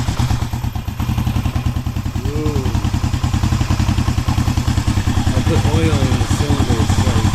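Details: 1973 Honda CB350G on its first start in over 10 years after storage, points cleaned, using choke, leaking carburetor: the twin settles into a low, slightly loping idle with an even exhaust beat and no knocks.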